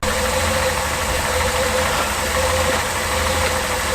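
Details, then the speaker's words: Reliant Scimitar V6 after a service, with new oil and plug leads four and six swapped back to their correct positions: smooth, even idle with a steady low hum and no misfire stumble; normal idle. "swap four and six over to the right place and then it doesn't try and destroy itself good stuff sounds good now though"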